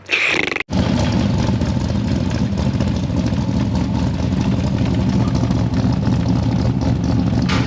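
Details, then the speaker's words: L98 LS-swapped Toyota Land Cruiser 80 Series after fitting another muffler: engine catches and settles to steady deep lumpy-cam rumble, slightly quieter, no crackle or popping; the gross crackle is gone, header flanges still to be checked for leaks — normal exhaust note. "a little bit quieter a little bit it did take that gross cackle out of it though yeah it did take that out at the very least"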